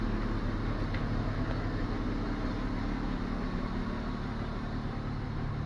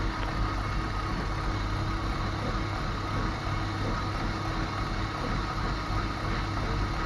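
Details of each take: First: BMW E34 after cleaning and refitting the fuel pump that had hummed loudly and caused power loss: steady low rumble with no whining hum on top, pump now silent; normal fuel pump operation. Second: BMW E34 at idle, fuel pump (Gazelle 406-engine type, fitted last year) humming very loudly, with power loss from 5500 rpm and later refusal to pull: constant hum over idle rumble not following engine speed; clogged pump strainer.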